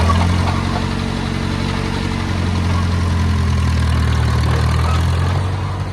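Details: Oliver Cletrac OC3 crawler warming up after a manifold gasket change and carburetor adjustment: a smooth, steady low idle with an even beat, no knocks or misses, barely any smoke. Normal idle.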